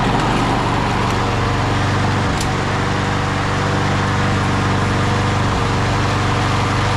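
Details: 1999 Craftsman push mower (mulcher), Briggs & Stratton 6.0 hp Quantum, primer start, 25 years old and barely used, first start in over 20 years: steady, even low buzz with no surging or sputter, slight smoke while warming; running normally.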